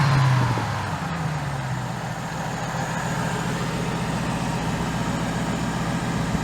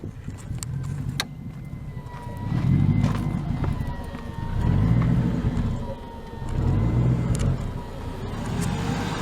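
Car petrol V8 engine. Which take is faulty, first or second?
second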